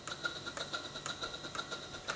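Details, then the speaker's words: Stuart Twin Victoria model steam engine, two double-acting cylinders, four beats per revolution, on air during valve timing setting: quiet sharp chuffs about five a second, slightly uneven; eccentric still needs adjustment. "it has to developed in cylinders and four potential beats per revolution and now it's starting to sound a little bit like a locomotive"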